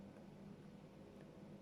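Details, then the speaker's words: Steady muffled low rush with a faint hum heard through a listening device over parquet flooring, where thermal camera also pointed: water escaping from a recently burst pipe under the floor. "var yani sesi algılıyorum burada o Muhtemelen tam olarak burada parkede sökeceğiz"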